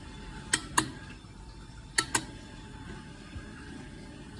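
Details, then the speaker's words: Mercedes-Benz W113 230SL wiper relay after repairing the wiper switch and improving the stick-fuse contacts, with the wipers working again: crisp paired relay clicks about a quarter second apart, repeating at intervals. This is normal switching, a reference for diagnosing wiper failures. "Sound of the wiper relay When the wiper breaks, it is an important reference for determining the cause to hear whether the sound is heard from"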